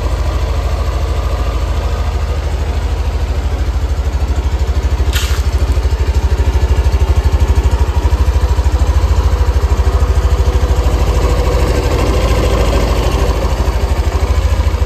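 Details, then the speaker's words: Yamaha NMAX Neo (third generation) after an oil change to Shell engine and final-drive oil: steady, even low idle thrum with no knocks; owner finds it not rough, a normal idle. "Terus ini saya nyalakan bentar, nanti kalian dengar sendiri dan bandingkan dengan NMAX kalian suaranya bagaimana. Kalau menurut saya sih ya biasa aja sih, nggak kasar."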